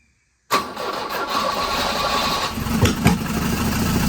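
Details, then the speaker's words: 1983 Volvo 242, B23 engine, manual, converted from EFI to carburettors, 12 V confirmed at the coil: after silence it catches and runs ragged with loud thumps and uneven firing; owner suspects ignition timing is off. "Seems like it has no timing. Try it again. Try it again."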